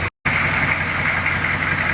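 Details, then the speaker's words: 6.2 diesel Suburban at idle, cranked up after the exhaust repair: steady, even idle with busy mid-high clatter and no puffing or ticking. It sounds healthy, though the mechanic thinks it might still have a leak somewhere. "they got a unique sound don't they"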